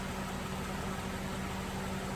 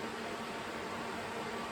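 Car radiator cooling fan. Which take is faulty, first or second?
second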